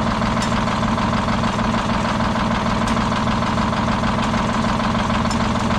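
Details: Detroit Diesel 6-71 two-stroke, last run before removal: rough, loping low idle with a recurring hitch about every other beat, uneven and shaky; dead cylinder misfire, seemingly worsening over time.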